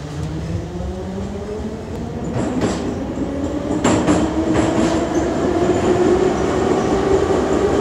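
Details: Kyiv Metro 81-717.5 car No. 10327, Sviatoshynsko-Brovarska line near Beresteiska: train gathering speed with a repeating thump over the rolling roar, rising with speed; wheel flat spot.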